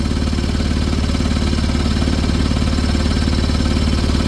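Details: Suzuki three-cylinder turbo diesel that owners couldn't start: steady idle with even low clatter about two beats a second; heavy blow-by from worn rings, smoke pushing out the dipstick tube.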